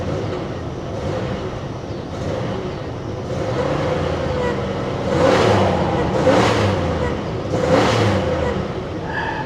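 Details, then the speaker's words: About-1992 Cadillac DeVille bought sight unseen at auction: rough idle, then uneven revving surges that sag; engine cuts out and hesitates on first throttle tip-in, check engine light now off, cause unknown. "let's give her some she's still hes she's hesitating check engine light is not on anymore either when you first hit the gas she cuts out"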